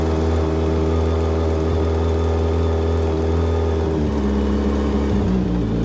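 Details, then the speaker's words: Hayabusa-engine-swapped Can-Am X3 after fresh injectors, checked plug gaps and reconnected fuel lines, previously running on three cylinders: smooth, even idle with a steady low hum, no misses or knocks; all four cylinders now firing, normal idle. "Holy crap. It actually freaking works. It actually works."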